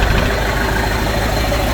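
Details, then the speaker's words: Spryte snowcat "Rusty" turbodiesel, after fitting new OEM Zexel injectors: deep, steady diesel clatter at even idle, no misses or hunting; much smoother, rock solid off acceleration, engine sound otherwise little changed. "Thing I notice is that he idles a lot smoother. When you come off of acceleration, he just idles nice and smooth. Rock solid. idle. I don't think it changed the sound of the motor much."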